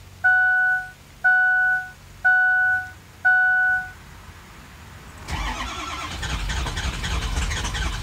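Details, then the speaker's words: Ford 6.0 diesel with a shot lifter, reassembled and checking base oil pressure: four chimes, then the starter spins steadily about three seconds without firing; cranks but won't start. "we do but it doesn't want to start"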